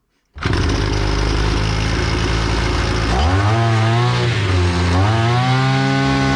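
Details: EFCO brush cutter that ran briefly then stopped, after carburetor repair of a fuel leak that stopped the pump diaphragm working; starts and buzzes steadily, picks up cleanly twice on throttle, settles back without stumbling; running properly.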